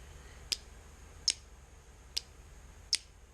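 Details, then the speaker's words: Standard automotive relay bench demo powering a light: four crisp clicks under a second apart as coil energizes and pin 30 switches from 87a to 87; relay working normally. "As soon as it's activated, 30 and 87 are now connected. And that gives us full power through the relay to our light."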